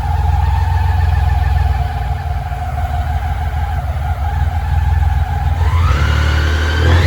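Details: Restored BMW K75 running with the air flow meter unplugged: uneven, lumpy idle that climbs sharply when revved near the end. It runs rough because the air flow meter is disconnected.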